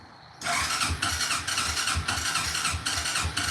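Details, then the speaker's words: ATV with aftermarket carburetor and new choke cable, cold, fuel valve left off: catches after a few cranks, then runs lumpy with uneven surging pulses about twice a second, close to dying; very cold-natured engine. "she is very cold-natured."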